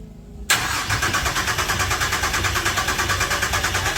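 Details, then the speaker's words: Freshly rebuilt Ecotec race engine, cranked on the starter to build oil pressure, reaching 60 psi: steady, even cranking at about a pulse and a half per second, no firing or knocks; normal cranking. "Let's crank this thing over, see if we get some oil pressure happening."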